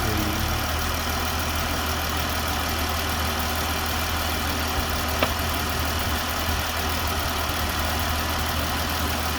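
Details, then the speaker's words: 2014 truck with a defective oil cooler, idling: steady idle with a faint knocking noise under the engine note; cause of the knock unclear. "You hear that knocking noise though?"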